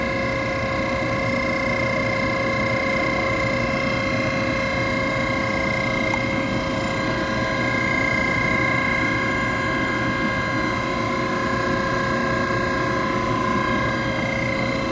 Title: Boiler Circulation Pump Motor _ Bad Bearing